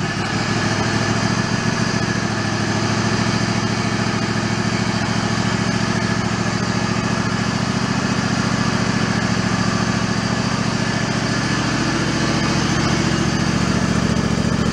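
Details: Mid-90s Toro Wheel Horse riding mower, after restoring fuse power: small engine holds a steady, even buzzing run with no stumbling or surging.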